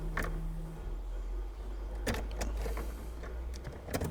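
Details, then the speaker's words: 1992 Mercedes S-Class W126 at key-on after ignition system work and reassembly: low steady fuel pump hum with light clicks, pump comes on every time even when wiggled; priming normally. "every time without failure no matter how much you wiggle it the pump comes on everything appears to be hunky dory"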